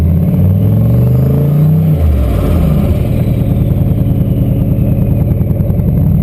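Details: Turbo LQ4 V8-swapped Ford Ranger, no-start traced not to the MAP sensor but to a DTC code that had been disabled, now fixed: engine revs up then settles into a steady low drone under light load, no misfire stumble; runs cleanly.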